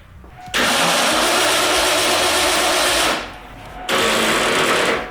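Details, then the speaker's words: 1989 Ford Bronco after new battery cables, fuel leak fixed: two dragging cranking bursts of about 2.5 and 1.5 seconds that never catch; slow cranking from a dead battery and flat jump pack. "Battery shot, jump pack shot, so at least we're not pissing fuel anymore, so that's fixed. The starter sounds happier when it actually has a full battery."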